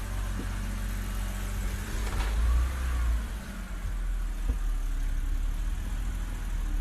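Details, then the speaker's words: 2007 BMW 325i E90 petrol six after misfire repair (alternator, ignition coils and spark plugs replaced; cylinder 4 had kept misfiring): steady idle with a brief clean rev, no stumble or shaking; normal idle, misfire-free. "No misfire. There's no shaking in the engine. Everything is good now."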